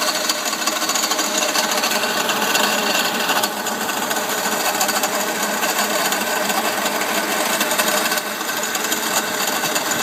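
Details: Mercedes CL500 W215 tandem pump (ABC hydraulic plus power steering) at engine idle: steady, fast, sharp metallic rattle. It persists after the pump was replaced with a new one, and the owner suspects a broken or loose bearing. Steering and ABC work fine.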